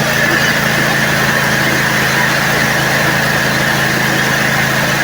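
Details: Bad Boy zero-turn mower after tightening the starter solenoid's frame ground bolt, which had no crank from a bad ground: engine starts and runs at a steady even idle, no hesitation, knocking or starter chatter; sounds healthy.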